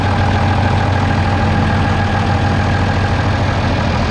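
A steady, even diesel drone with a constant low beat and no knocks or misses; the engine is running normally.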